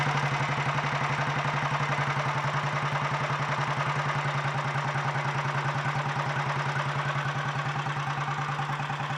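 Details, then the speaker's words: 1951 Royal Enfield Bullet 350 G2 single on its first start after a full engine rebuild that replaced worn parts including the timing-side main shaft; a steady, even thump about 3.5 beats a second, mechanically quieter than before, a normal idle. "and i think the engine is uh quite a bit quieter mechanically too it's i gotta say it didn't really seem to sound too bad before actually to me"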